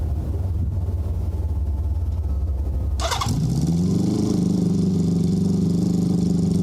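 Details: Honda CB650 cold start after fitting Ricks Motorsports CDI units to fix a cylinder 3 misfire, with the fuel turned on: starter churns about three seconds, then the engine catches and runs evenly; cylinder 3 now firing, normal running.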